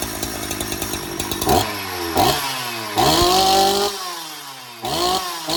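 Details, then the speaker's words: Donated 2005 Husqvarna 372XP chainsaw, said to have run poorly, fitted with replacement muffler and bolts, on non-ethanol premix: several sharp blips, pitch rising and falling cleanly with throttle; saw runs and oils. "so she works oh she runs anyways she oils as I made the mess all over the floor"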